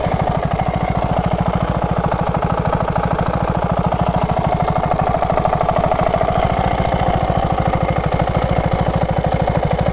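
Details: KTM 690 SM, LC4 single-cylinder, warm idle about three beats a second with a light tick over each beat, only when warm; owner suspects cam chain tensioner; now on Motorex oil, previously Amsoil 10W-40.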